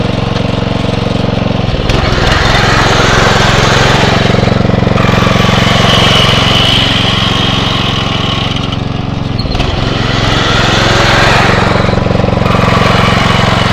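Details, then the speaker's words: Atco Royale B24E cylinder mower engine after carb clean: steady even beat, brief rev dips as drive engages under load, quick recovery without hunting; running smoothly. "so I think that's a lot better you hear it's like when you engage you see the ribs just sort of do go down a little bit but then um it just picks right up and seems to be okay"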